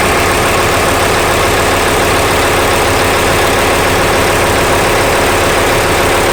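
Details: Steady idle with a loose, uneven rhythmic clatter about 105 per minute over the engine hum; abnormal engine noise at idle, cause unclear.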